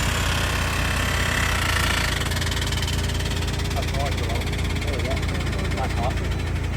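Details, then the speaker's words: Car driven through floodwater, suspected hydrolocked; rough, uneven idle with irregular knocking about four times a second under the engine rumble, sounding unhealthy after the water; engine knocking, cause not confirmed. "Oh, that don't sound healthy."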